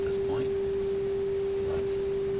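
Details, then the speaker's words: Viking console stereo fed by an RCA WR-52A FM signal simulator, 400 Hz modulation, audio output monitored on scope: pure steady tone, dead level, no fading; clean sine wave, reception normal. "Here's what you see. Of course, it's exactly what you hear. A nice sine wave. Fairly nice."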